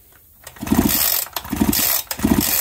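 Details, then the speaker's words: Big bore Husqvarna 372XP chainsaw fitted with a 272XP pop-up piston that was kissing the cylinder top, now with a thicker base gasket and about 26 thou squish. Three even compression pulls with a clean whoosh and no metallic tick. Normal pull-over, no piston tap. "not buying the head anymore because I put a thicker gasket in"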